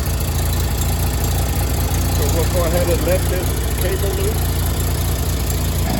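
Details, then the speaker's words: Miller Bobcat 225G welder-generator, idle for years, after starter solenoid, ignition pickup, alternator and fuel pump work and an oil and fuel line change: steady, even drone under governor, no knocks or misses; generating fine, idle possibly set low, slow to warm. "Uh, it was generating good. Um, my idle set might be a little bit low and that's quite took a little bit to warm up, but uh, it works."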